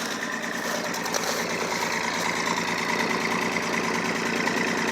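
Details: Old 4WD pickup, inline six-cylinder with dual exhaust (three cylinders per side), cold start at 23°F, leaking oil; steady cold idle at the exhaust with firm, fairly even puffs about three per second; owner notes a long-standing misfire on the other side.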